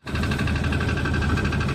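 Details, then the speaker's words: 1989 Jeep Cherokee XJ 4.0L I6 Renix, AW4 automatic: fast light ticking in step with the engine at warm idle after driving, quiet when first started cold, gone at higher rpm; suspected cracked flexplate. "after you drive it for a while you start getting this tick tick tick tick tick tick tick tick tick tick tick sound you know sounds like something's knocking or clacking or doing all kinds of bad crap and it's it doesn't sound very good"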